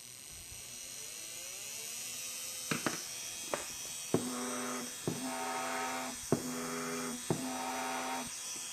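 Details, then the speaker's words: Brushed RC trail-truck motor pair, rear motor pulled back near zero timing: small motor whine spinning up to steady buzz between clicks, other motor definitely faster with more timing advance; mismatched motor pair speed. "definitely faster on the other motor"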